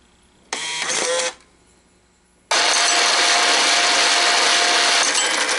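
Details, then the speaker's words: First-generation American Changer green-stripe coin hopper sent in for excessive noise and vibration: harsh, gravelly churning with a faint steady hum during the dispense cycle. The gearbox is worn; the fix is a gear change and regreasing with synthetic clear grease. "This side's going to run until it goes back to here to complete the vin. But do you see how rough it sounds?"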